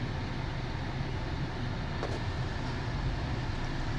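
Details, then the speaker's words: 2012 Ford Fusion at steady idle; with the AC switched on, one short crisp click as the compressor clutch pulls in and the evaporator temperature reading drops, during diagnosis of a non-working AC; normal AC compressor clutch engagement. "hear it click on, and you see it go down. So that's working."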